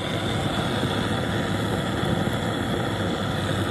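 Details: Antique white-gas liquid-fuel blowtorch, restored, preheated and opened to full blast: steady, even hissing roar, no sputter or pulsing; burner running properly, normal full-flame roar.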